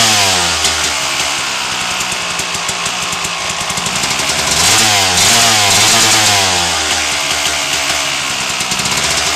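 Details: 1997 RM250 two-stroke after header pipe dent repair, started with choke on: bright crackling exhaust revs up and down with the throttle, crisp and even; healthy running engine.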